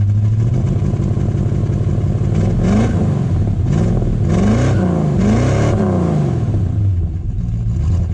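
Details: Rebuilt Ford 250 Crossflow from the 1981 XD, said to be rebuilt stock about 7 years ago with roughly 6,000 km since, run on stale fuel: deep, even rumble through several quick throttle blips, no knocks or misses; compression 160 even, healthy engine.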